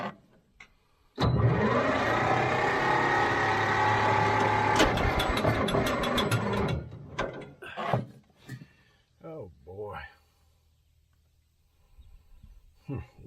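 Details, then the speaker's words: Old Caterpillar D6 dozer diesel, starter drags it over sluggishly about five seconds then quits with clunks; new batteries needed; slow cranking from weak batteries. "my batteries down had if I can see what this that's not him hooked up n it's not even hooked up so I'm definitely going to have to go get some uh batteries"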